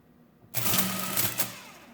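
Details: Early Marchant Silent Speed 10M mechanical calculator, case off, plugged in: a quick burst of light rapid clatter about a second long, then a clean wind-down. It was already at the end so it didn't shift; normal drivetrain cycling.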